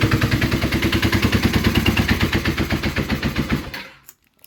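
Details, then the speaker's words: Kawasaki KZ440 project bike: fast, choppy exhaust beat with uneven pulses for a few seconds before dying; rough running. "That was so that happened because either there was too much fuel in the engine or the carbs are just wildly out of sync now. Oh, and also the choke was on."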